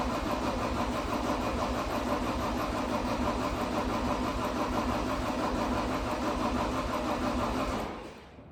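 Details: 2012 John Deere 333D skid steer, reman long block diesel, first test fire with air in fuel system and ether used: steady even cranking for eight seconds without catching; cranks but no start, fuel not reaching suspected.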